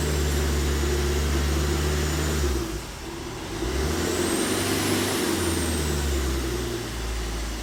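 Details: Tata Indica Vista that cranked but wouldn't start, after repairing wiring circuit junctions behind two error codes: engine catches and settles into a steady, even idle with a brief dip, no misses or knocks; now running healthy.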